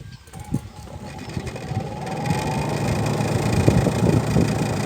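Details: Mabe 12 lb twin-tub washing machine after replacing the faulty, catching spin motor: steady low motor hum building smoothly as the spin tub comes up to speed, no grinding or knocking. Spin motor now normal.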